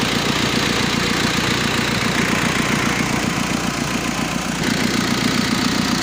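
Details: Mazda B2500 diesel restoration: even idle clatter, no misses or stray knocks, steady healthy idle; normal idle.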